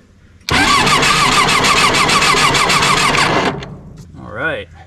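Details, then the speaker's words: John Deere 755 turbo diesel crawler track loader sitting over 20 years, first crank before fluids checked and diesel primed; quick, even cranking about three and a half beats a second; normal fast cranking. "got to switch on woohoo that thing turns over"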